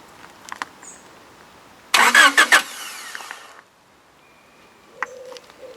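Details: Honda Accord during starting-fault diagnosis, +12 V fed directly into starter control wire: starter whirs briefly, engine catches and fires, then settles; normal cranking and start.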